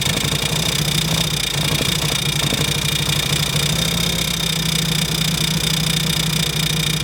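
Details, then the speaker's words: MK1 Mini Moke, engine seized from sitting and freed with a wrench on the crank, first start: the small four-cylinder idles steady and even with a low, regular beat and no knocks or rattles; normal running. "Oh, okay. Oh, that was it? Yeah, of course. This thing sounds good."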